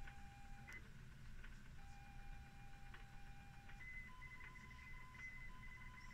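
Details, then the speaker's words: ZX Spectrum +2 cassette drive after repair: clean steady lead-in tone, then chirping data tones switching cleanly over quiet hum as the machine loads; normal tape loading tones, works perfectly. "and there we are we've got the machine loading now and it's just comes straight from The Horizon State"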